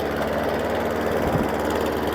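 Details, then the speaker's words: Hayter Ranger 53 mower with new plug: steady, low-pitched drone that stays flat at full throttle and never climbs; engine won't reach full revs. "so that's revving but it's not revving anywhere where it should be"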